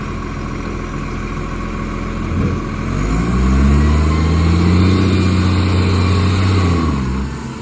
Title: Millicent Commercial Garbage | SL01074 With A Mad Exhaust Leak |